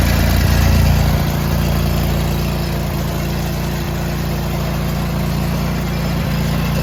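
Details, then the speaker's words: John Deere tractor with snowblower attachment, after fixing a worn, bent metal piece that made the belt pop off: deep even drone, steady beat, no belt slapping or flapping; tractor and thrower running smoothly. "now that we have that solved and the belt's staying on, I can finally get my shower and go to bed."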